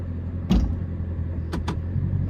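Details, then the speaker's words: Chrysler 300 SRT 392 at idle: a steady low rumble broken by a short sharp chirp every time it is put in gear. Owner suspects an axle or driveshaft. Chirp when shifting into gear. "like a little chirp sound every time I put it in gear but that's neither here nor there"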